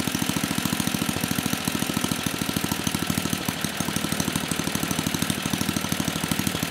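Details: 34-year-old Tecumseh H30-35387Y single on a Troy-Bilt Tuffy tiller, with a new clone carburetor after a no-compression repair; quick even exhaust beats at fast idle with no knocking or misses; running properly.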